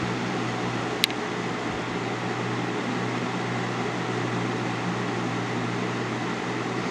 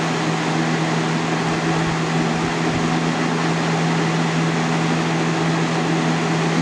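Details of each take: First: 2000-01 GE box fan model 106620 with chipped blades, on medium: a steady low motor hum and an even rush of air with no rubbing or rattling. It runs normally at a proper medium speed. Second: 2000-01 GE box fan model 106620 running on high: steady motor hum and airy rush, speed sagging then picking back up; owner hesitates to blame a bad capacitor, cause unconfirmed.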